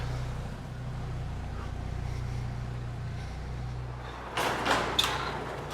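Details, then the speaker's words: Jeep YJ Wrangler idling after fitting a new quieter aftermarket exhaust: low, soft, steady exhaust hum with no raps, ticks or leaks; quiet and healthy, followed by door and handling noise. "at's pretty good it's nice and quiet you could drive this thing every day"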